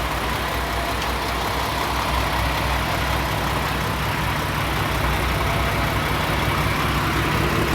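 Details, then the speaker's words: Peterbilt 579 back from the dealership, running good with no complaints: deep, steady diesel rumble at idle with no misses, knocks or hunting; normal idle. "uh but yeah the truck's running good now guys uh I got no complaints at the moment it is running like it should"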